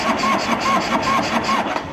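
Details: 1984 Harley-Davidson FLT Tour Glide that lost spark after its first test ride: starter turns engine over in even pulses, two or three a second, but it never catches or fires; cause not yet confirmed. Cranks but won't start.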